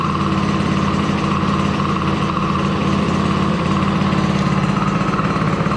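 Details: DRR 90 small single-cylinder engine just after water pump rebuild (damaged shaft caused seal coolant leak), coolant topped off: steady even idle with no knocks or rattles; running fine.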